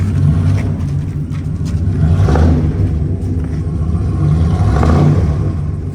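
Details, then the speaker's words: 1997 Dodge Ram Laramie SLT after new spark plugs, plug wires, distributor cap and rotor; previously would not start and sputtered, now revs cleanly on quick blips with no misfire; slight squeak suspected from a pulley or water pump. "So, yeah, it didn't start before and it was sputtering. Now, it sounds good. I mean, there's some squeaking. It's probably a pulley or the water pump."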